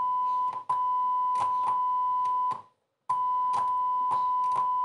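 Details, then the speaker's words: Rotel RA-985BX integrated stereo amplifier on a test tone: sharp crackling bursts and dropouts each time the tone switch is worked, indicating a faulty, intermittent tone switch needing cleaning. "faktycznie słychać nieprzyjemny trzask"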